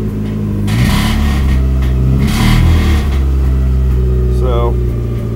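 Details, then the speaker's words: Turbocharged Suzuki Swift GTi on first startup under MegaSquirt: short light-throttle blips bring out a knock, then it settles; owner suspects fuel, unconfirmed, possibly tuning error; small pinhole gasket leak noted. "now i want you to hear what happens you can probably hear it if i give it just a little bit of throttle"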